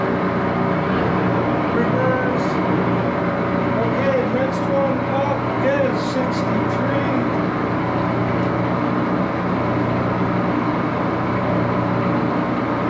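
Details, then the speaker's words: Axelson 14x30" heavy-duty gear head lathe running with AW68 hydraulic oil in the headstock: constant geary drone with steady mid-pitch whir, no knocks or rattles; normal but inherently noisy. "it is a little bit of a noisy machine Let's Start It Up"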